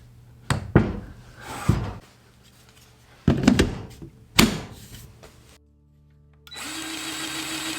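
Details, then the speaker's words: Milwaukee M18 cordless grease gun just after a grease cartridge change: following handling knocks, the motor settles into a steady buzzing, clicking hum as grease flows again; normal pumping. "you can kind of hear the motor now that we have grease and it makes like a clicking noise more so and we are back in business"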